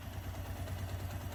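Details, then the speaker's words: Suzuki GS 150 SE single-cylinder idling after loosening the timing chain tensioner nut until it clicks, cured earlier chain rattle: light steady tick over low thump, no chain noise; normal idle. "अब सिर्फ टपट का sound आ रहा है टक टक टक टक हल्का सा ना अगर आप गौर से सुनेंगे इसको तो आई थिंक दिस इ परफेक्ट"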